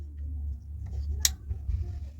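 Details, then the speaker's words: Toyota car air-conditioning blower wired back on its original connector and ground: switch click over a low hum, then no fan spin-up, nothing happens; blower not getting power, wiring fault. "You can hear the click. Nothing Nothing is happening. Nothing is happening. Nothing is happening."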